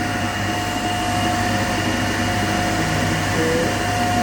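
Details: Three-phase induction motor coupled to DC compound machine, in unbalanced condition with one phase at zero current, about 1486 rpm: a steady hum with strong low buzz and fixed tone near 700 Hz, single phasing.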